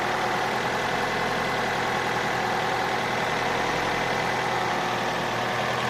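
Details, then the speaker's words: Opel Astra H at steady idle with a dull knock buried in the engine noise at the rear of the block, near the ECU area. Not the gears and no error codes; the cause is unknown and needs further checking. "звук откуда-то вот отсюда сзади. Вот где-то в районе ИБУ, там где-то. Это не шестерни, ошибок никаких нету."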